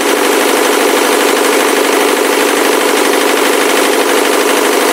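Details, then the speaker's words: Ford Mondeo 3 turbo-diesel revving: harsh, rapid, regular rattling knock, two to three a second, loudest from the left side, sounding like a chain; engine smokes heavily, blowing soot on throttle; cause unknown, engine knock under throttle. "весь звук именно слева идет, как будто где-то цепь. Все отсюда."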